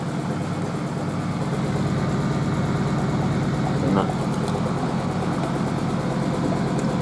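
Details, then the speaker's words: Merloni Electra WD1100 washer dryer, 50°C non-colourfast cotton unbalanced load test: low rumbling spin with uneven thump near two per second. Drum doesn't hit the cabinet, but the stiff suspension shifts the machine; unbalanced load during spin. "However, though, you don't hear the drum hitting the side of the machine. That's just because the suspension's so stiff it pulls the machine about."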